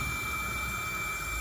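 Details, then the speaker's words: Audi TT with 229,000 miles on an air leak test, air fed in at the MAF adapter: a steady airy hiss with a thin whistle and no engine running. An intake pipe has come off, causing the leak. "Give it a spray. Oh, yep, that's definitely a leak."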